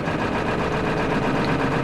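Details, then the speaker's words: Ford 7.3L diesel pickup at idle; heavy clatter with an uneven, stumbling beat, a cylinder missing; owner was told an injector may be leaking oil into the high-pressure injectors, worse when warm; cause unconfirmed. "now. Well, they said one of the injectors are possibly leaking oil between their high-pressure injectors causing it to uh short out and uh kick it off because of the pressure of oil, which when it gets warm, oil gets thinner."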